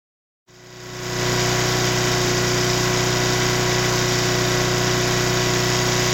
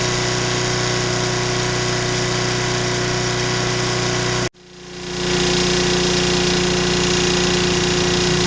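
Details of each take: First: Mid-1980s Nissan GX1000 750-watt petrol generator starts and settles into a steady, even hum with no knocking while unloaded; under a 500-watt load it makes metallic knocking, owner unsure if rod knock or loose muffler. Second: Mid-1980s Nissan GX1000 750 W generator: runs smoothly with no load, then the note drops with light metallic knocking under a 500 W shop-light load; owner unsure whether rod knock or something loose in the muffler.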